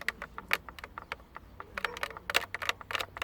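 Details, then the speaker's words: Kia Rio 4 climate control panel rubbing against its dash housing when a passenger presses a foot against it: irregular dry plastic creaks and crackles about three a second; owner plans padding the mounting joints with cloth. "то человек садится пассажир ногой сюда упирается все скрипит и получается вот она беда сам климат климат трется об корпус его"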